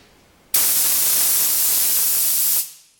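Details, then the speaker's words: New unlubricated roller bearing for a Jaguar XK, spun freely for comparison with classic Mini bearings: two-second rushing hiss, rough only from running dry; normal, bearing is sound. "hear exactly this up because there's no lubrication in it and like I said it's for pudding and the pressure into it as it as the bearing goes it and this is brand spanking new for the XK so there's nothing wrong with that"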